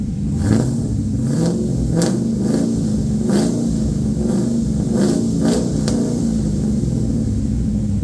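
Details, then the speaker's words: LQ4 V8 swapped into a 1985 Pontiac Trans Am with a red hot cam, headers and 4in exhaust, on a later restart after the first startup: deep rumble rising and falling through several lopey blips with clean, even pulls; normal revving. "now you can actually get an idea of how this thing sounds with the red hot cam as it is pretty dang loud with the 4in exhaust it sounds pretty mean"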